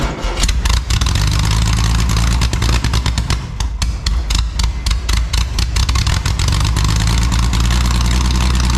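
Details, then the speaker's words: Scratch-built Jaguar D-Type replica with a homemade exhaust, recorded without its built-in silencers: very loud, raw bark with sharp cracks and pops as revs rise and fall. Fitting the silencers removes the cracking. "I'm going to show you a recording of This exhaust system without the built-in silencers and then one with so that we can hear what kind of a difference it makes"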